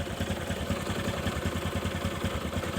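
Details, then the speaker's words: Honda Supra 125 carburetted, rough noise when hot: uneven clatter over a low idle throb that persists in gear with the rear wheel held. Diagnosed as a worn balancer bearing letting the balancer wobble; camshaft and timing chain also noisy. "ini menandakan adalah getaran pada bandul ya yaitu posisi laker yang oblak sehingga putaran bandul itu tidak stabil goyang Ya goyang sehingga menimbulkan suara geledek gledek gledek"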